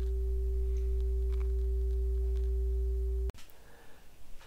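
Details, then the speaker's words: 1937 RCA Victor 87t radio speaker reproducing an audio generator tone fed across the output transformer primary; field coil not energized so volume is low. Clean steady mid-pitched tone for about three seconds, then cuts off, no buzz or rattle: speaker normal. "I've attached my audio generator output across the primary of the output transformer to the speaker, and of course the field coil's not energized, so the volume is fairly low, but I think you can probably hear that."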